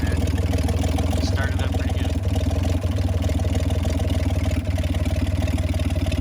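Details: 1965 Mack B61 crane truck, Mack Thermodyne non-turbo diesel, long parked, block heater and boosted batteries, warmed up: even, regular low thump about four beats a second, no misses or knocking; normal idle.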